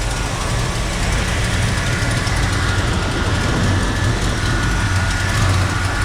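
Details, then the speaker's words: 1956 Chevy Bel Air carbureted V8, timing set to 12 degrees with the vacuum advance disconnected; deep, loping idle with an uneven, lumpy beat; runs rough without vacuum advance. "The idle is terrible without the vacuum advance on it though."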